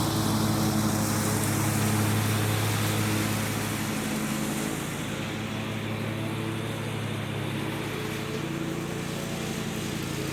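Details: John Deere 345 with a Kawasaki FD611V V-twin, about 490 hours, after stage-one revival repairs and a fuel filter change. Steady, even drone holds speed under mowing load with no knocks or misses; the engine runs smooth and healthy and uses no oil.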